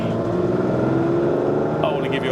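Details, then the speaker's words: Ferrari 512 BB flat-twelve with standard exhaust, after intermittent misfire was fixed (ignition work), engine warmed and settled: smooth, clean pull under acceleration with steady even note, no stumbles or popping; normal boxer engine note. "That's what boxers should should sound like. Nice smooth pull, lovely noise."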